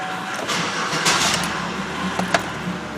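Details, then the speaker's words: Chevrolet Impala towed in as crank no start, after new fuel pump installed: cranks briefly, fires and settles into steady even running; normal start after repair. "yea oh she runs"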